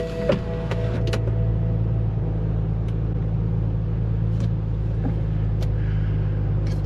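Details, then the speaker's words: BMW 528i idling with the A/C blower fan working again after a blower repair: soft, even fan rush with no squeal or ticking, fan speed set low on auto. Normal blower motor operation. "oh listen how quiet it is though I shouldn't have talked so much trash listen"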